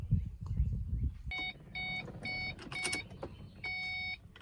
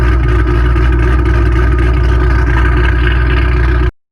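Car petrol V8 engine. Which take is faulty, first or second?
first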